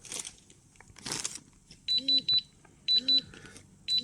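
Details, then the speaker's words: Atom-scan dosimeter with thresholds set at 25, 30 and 50, compass source brought closer: high chirping beep in groups about once a second between pauses, one beep plus one vibration; first dose-rate threshold alarm. "От вже спрацював перший поріг спрацьовує одним піском і одна вібрація от чуєте один одна вібрація"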